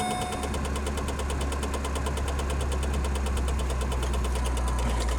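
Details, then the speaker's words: 1994 Saab 9000 idling with a fuel leak; the blower was hitting something under the dash. Now a fast, regular high squeak at about three per second rides over the even idle; the blower needs to come out. "Something happened to it, it's squeaking, and the blower needs to come out."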